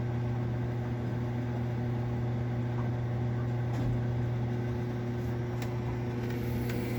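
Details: Marine Air Systems Cabin Mate air conditioner on a Mainship 40DC boat: loud, steady low hum while the compressor strains to start; noisy start-up, cause unknown.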